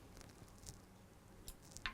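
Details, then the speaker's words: Andis T Outliner clipper power switch, reassembled after repair and flipped as a final test before closing: quiet bench, a few light taps, then one crisp, firm click, showing the switch is locked in its housing and working properly. "You've got to make sure you hear that switching noise, and that means that the switch is locked in the housing, and that is why it's clicking."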